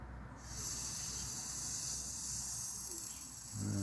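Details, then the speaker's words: 1962 Land Rover Series 2a 109 during rebuild, engine running, manifolds possibly not torqued correctly: a quiet, steady high-pitched hiss starts suddenly and the pipe stays fairly cool. The source is unconfirmed; the owner suspects manifold gaskets bedding in or spilt oil burning on the exhaust. "Something hissing there, isn't there? It could be anything, you know. Manifolds, not manifolds, gaskets, bedding in around the manifold. Could be a bit of burnt oil."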